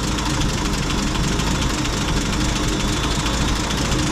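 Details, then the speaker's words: M8 Greyhound engine at idle during ignition and distributor overhaul; mixture being leaned off, revs pick up, then loud rough idle stumbles and labours as it runs too lean while tuning for the happiest idle mixture. "start leaning it off the engine reps are picking up and it's just basically trying to find the fuel mixture of which the engine is idling the happiest"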